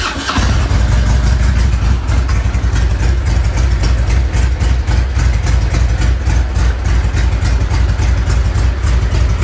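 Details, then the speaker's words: Harley-Davidson Electra Glide Ultra Classic V-twin, first start after reassembly, motor adjusted to align the belt, plugs and mufflers reinstalled. The starter whirs, then it catches and settles into a lumpy, even loping idle with nothing odd underneath; it is running healthy. "all right she's back to life definitely have to hear this"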